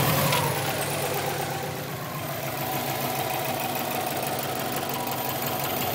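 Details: 2002 Subaru WRX, 176,xxx miles, with a replacement EJ20 engine (about 70,000 miles), untuned, with cat-back exhaust, cold air intake and BOV: light, regular tapping at idle, about three or four a second; owner suspects the turbo or a spun crank bearing.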